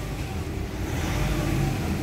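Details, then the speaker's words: Nissan Calibre after treatment: engine now steady and tight with a firm low rumble, no wheeze or hiss, pulls hard from about 1,000–2,000 rpm instead of 3,000; earlier leaky sound gone, power restored. "Pero iba na yung tunog niya, oh. Pulido na. No? Kanina singaw eh. May power na."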